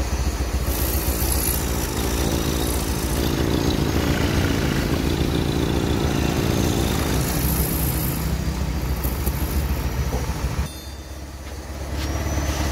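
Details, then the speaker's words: Honda Beat scooter after an overhaul for compression loss, stalling and oil consumption, including combustion chamber cleaning and valve lapping. A steady, even, soft idle with no knocks and a brief dip; runs smoothly. "mesin sudah hidup bunyinya halus juga"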